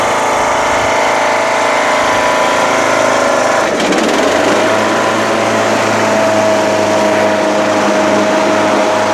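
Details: Craftsman LTS1500 lawn tractor with rebuilt 17.5 HP Briggs OHV single-cylinder made from two blown engines, on a test drive: even buzzy drone, tone dips once as load changes then recovers cleanly; runs very well, though idle is very high and the throttle is sticky.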